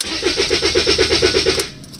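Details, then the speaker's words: Rover 75 CDT diesel after a fuel system and filter service: steady cranking with no firing, since no fuel is coming through the supposedly self-priming system; the owner hopes the new filter is okay. The car was later started. "can hear it rumbling nothing is coming through I'm hoping this filter is okay"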